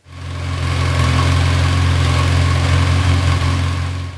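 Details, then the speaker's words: Same motorcycle idling after its non-original carbs were cleaned and pilot screws tuned with a wideband O2 sensor: smooth, even four-cylinder idle, steady low hum, no stumbles or hunting; carbs clean and balanced. "And this is the same relative position of what it sounded like after turning with the wideband."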